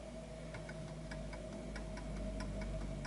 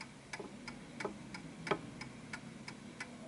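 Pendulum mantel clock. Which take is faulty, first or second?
first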